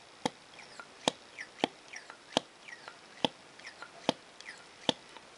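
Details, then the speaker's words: Sheaffer Triumph vac-filler fountain pen after servicing, with new packing and plunger rod washers and greased rod and barrel, plunger worked: seven crisp little pops about one a second, plunger sucking in; good vacuum seal. "okay so you can actually hear the little popping sound there and you can actually hear the the Piston actually uh or the plunger should I say sucking in"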